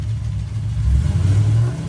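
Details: Cadillac CTS-V: engine revs and holds a low steady drone while the car barely creeps, even in reverse, no fluid leaks; not the rear diff, power isn't reaching the wheels.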